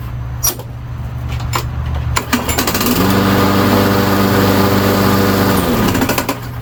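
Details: Briggs & Stratton push mower on a Yard Machine, after replacing a sheared flywheel key: catches after a couple of seconds into a steady, even buzz with a faint blade scrape from a bent blade; running normally.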